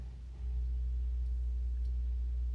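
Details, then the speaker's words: Salvaged Wards tube stereo brought up slowly on a variac: a heavy, steady hum swells in at only about 20 on the variac; the owner suspects a shorted rectifier tube. "nasty sounding that's barely up and it's making that noise instead of curiosity let me disconnect my audio source nevertheless i shouldn't be able to turn it up like 20 to make that noise"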